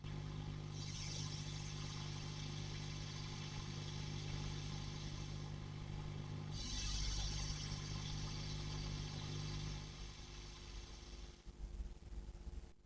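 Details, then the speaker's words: 5E3 tweed valve amp copy, bright channel, hum-level check: steady low mains hum under loud hiss swelling with the sweep; definite hum alongside hiss, source not yet found. "Okay. Definitely some hum there alongside the hiss."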